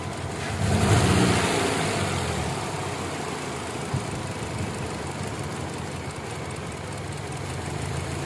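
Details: Kia Optima engine misfire with a fault code: a brief rev, then an uneven, stumbling idle as a failed ignition coil drops one cylinder.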